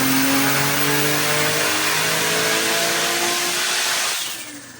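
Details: Nissan R34 drift car with turbo engine on the dyno, full-throttle pull on pump gas at about 14–15 psi after a wastegate spring change: strong, smooth rev climb under load, clean drop when throttle closes. Normal full-throttle dyno pull.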